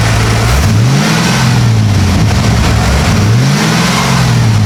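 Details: 1995 Ford F250 (OBS) at its first fire-up: strong, even low rumble swells smoothly through two clean blips and settles back; revs freely, oil smoking off the manifolds, good oil pressure; sounds healthy.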